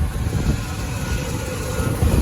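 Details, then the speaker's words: Tow-rig truck after new plugs and wires and a replacement spider injection module, fitted because its pressure regulator was bad and leaking. Deep, even idle rumble with a steady beat and no stumble, miss or hiss. It runs like new. "this thing was the culprit regulator on it was bad and so we couldn't tell if that was the only place that was leaking or not so we just went ahead and put a whole new one in and i mean this thing runs like it's brand new so"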